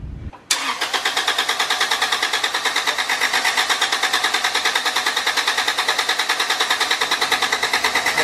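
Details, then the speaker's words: Honda Civic EG, long-stored, B-series engine, starter jumped directly: steady cranking about three turns a second without catching; no fuel pressure. "Fuel pressure now. No fuel pressure."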